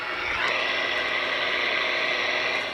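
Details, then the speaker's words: Radio receiver on the bench after repair (a suspected shorted or broken transformer was replaced from a parts board), working on AM and sideband with the signal generator off: an even, steady background hiss with a faint buzzy whine from the LED bench lights, which is normal. "those suckers generate some noise so when i touch the chassis of the radio it goes into the radio but anyway it allows you to hear the background noise"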